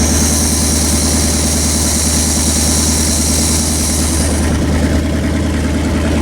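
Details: Rebuilt Pontiac 400 V8 break-in run on engine run stand after earlier flat-tappet cam failure: loud, lumpy but even idle, steady beat, no ticking or knocking; some valve cover oil leaks, engine behaving, normal idle.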